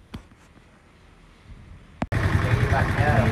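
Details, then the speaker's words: Yamaha MX King 150cc after engine teardown repair for rough engine noise, radiator refilled: quiet until the engine catches, then steady, even idle with no knocking or tapping from the top end; engine now smooth. "Jadi bisa kalian nilai sendiri untuk suara mesin dan disini sudah halus tidak ada bermasalah lagi dan bisa kalian bandingkan sebelum pembongkaran nya"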